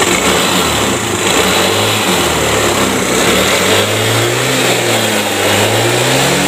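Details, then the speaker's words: Piaggio Liberty scooter that would not start by starter or kick: it now runs and revs smoothly once ignition is normal and oil is added through the spark plug hole to raise compression. "oke teman-teman ya dia mau nyala setelah pengapiannya ee udah normal"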